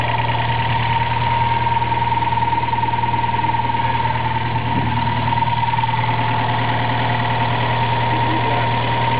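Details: Toyota 4A-GE small-port engine with a T50 gearbox, idling just after a clutch replacement. A thin whine over the low rumble with a faint rhythmic knock. Not the water pump or alternator bearings; cause unknown.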